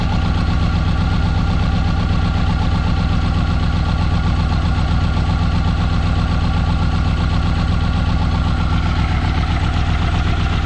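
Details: Subaru EJ20 at idle during coil check: low idle with an uneven loping pulse about two to three times a second, consistent with a misfire on one cylinder; cause suspected, not confirmed.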